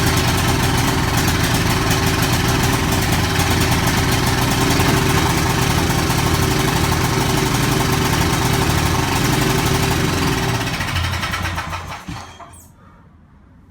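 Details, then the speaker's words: Ferris Hydrowalk 32 mower with Kawasaki 13 hp 401V engine, built December 2003, first start after carburetor repair and remade carb screws: small single engine thumps along steadily with no misses, somewhat smoky, until switched off; normal running. "so it's running a bit smoky I'm gonna get out of the shed okay so it's running a bit smoky but it is running"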